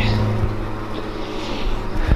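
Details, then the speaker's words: Carbureted engine with a Weiand roots supercharger and two AVS2 carburetors, idling at about 400 rpm after the idle screws were evened: a very slow, deep, lumpy idle with an uneven pulse, barely running. Idle speed suspected too low. Rough idle. "all right let's see if we can fix that probably just have to bring the idol up a little bit it'll probably smooth it out"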